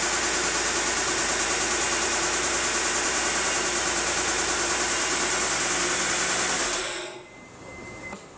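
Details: Mitsubishi 3000GT SL knocking: steady fast ticking about three per second over a hissy idle; owner suspects lifters but is unsure.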